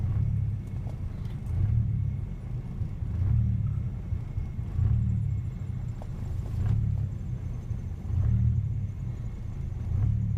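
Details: MK3 Jetta VR6 petrol idling unevenly, low rumble swelling and sagging about every 1.5 s; cause unknown despite new PCV valve, repaired vacuum hose, plugged brake booster vent, new charcoal canister and Seafoam treatment; owner suspects vacuum issue.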